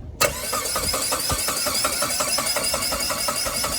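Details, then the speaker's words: Saab 9-3 that fires briefly with a rough, lumpy burst after cranking, then stalls; the spark plugs are found sitting in oil, and a spare DI cassette is to be tried next. Finding: brief start then stall. "Oh no, you didn't cut the key, did you? No. Started up for a split second."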